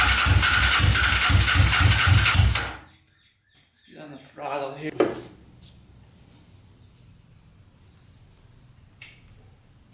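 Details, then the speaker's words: Custom pulling tractor with swapped 500cc Honda motorcycle engine, long-sitting non-runner, first start: harsh, very loud bark with fast, fairly even firing pulses, running on only one cylinder, then cuts out. "yeah i'd say that uh fired up holy cow thing's loud sounds pretty good and that's with only the one cylinder running not too bad"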